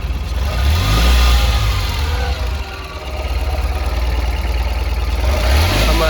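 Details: Tata Ace Gold BS6 CNG after replacing two spark plugs and the coil for a crank-no-start: engine catches and settles into a steady, even low idle with slight early surge; runs smoothly.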